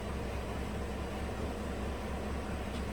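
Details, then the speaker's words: 2018 GMC truck 5.3 V8 at idle: uneven, lumpy rough idle, misfiring on bank 1; codes P0172, P0300, P0132, P0137, caused by faulty front bank 1 O2 sensor falsely reporting rich; smoothed after reset, then roughened again. "And fuel trim reset. It's not running all that great right now."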